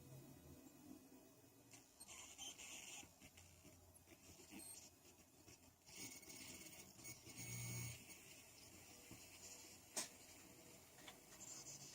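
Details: PC analog audio output recorded from a speaker with high-gain input and sounds muted: a faint hiss with irregular high-pitched screechy bursts; CPU or RAM suspected. Electrical interference, "solved" by switching to optical output into a FiiO Taishan DAC.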